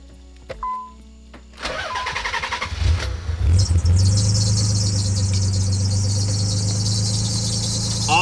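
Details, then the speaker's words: Abandoned Nissan 300ZX first start after fitting a replacement fuel pump: engine cranks and catches, then a steady high-pitched squeal over the idle; source of the squeal unknown. "I am prepared for your squeakiness ooh that sounds so much"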